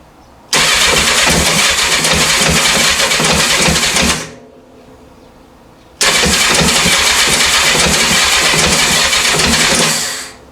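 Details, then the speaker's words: 1984 Honda CB700SC four-cylinder, first start attempt after fixing a no-spark fault and a stuck carb float, full choke, clutch in, fuel on: two cranking bursts of about 3.5 seconds with a pause, little smoke from carbs, never catches. "choke is on clutch is depressed fuel's on key on run on here we go little smoke out of the carbs it's"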